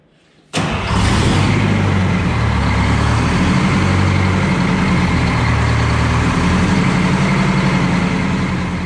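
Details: Detroit Diesel 4-71 two-stroke, first start after rebuild: catches instantly, settles into smooth even beat with no stumbling or knock.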